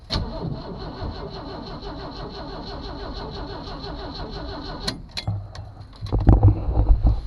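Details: 1982 Jeep Cherokee six-cylinder, first start attempt in years, battery hooked up with vise grips, out of gear: starter spins the engine with an even, rapid chug for five seconds but it never fires. Crank, no start; brake cleaner into carburetor next.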